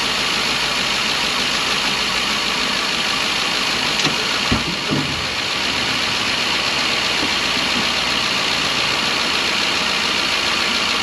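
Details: 2012 Ford E350 van, 170,000 miles, after replacing a coolant-leaking intake manifold with a Dorman part (the leak had caused a misfire): a smooth, even idle under a steady hiss; a brief misfire code went away; normal idle.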